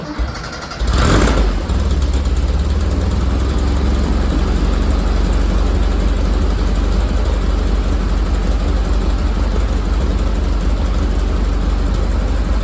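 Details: VW Bus with dual carburetors just tuned and synchronized with a snail tool: engine catches and settles into a steady, even low idle with no misses or stumbles; carbs sound well balanced, normal idle.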